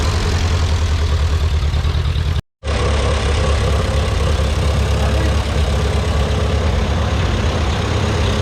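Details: Ferguson TEA 2085 tractor revived and reassembled after failing: low, steady engine rumble with an even beat and no knocking or missing. It runs smooth and healthy and is fixed.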